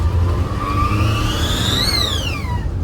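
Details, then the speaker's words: Turbo Daihatsu Mira, first pull with a newly fitted BLITZ blow-off valve replacing an HKS one: thin whistle climbs with boost and drops on release over the engine rumble, toy-like, almost electronic-sounding; blow-off valve whistle. "All right, that sounds very childish. I don't know if I like it or hate it. Comment below. All right, let's see. It sounded like a toy. It sounded like an electronic fake one, actually."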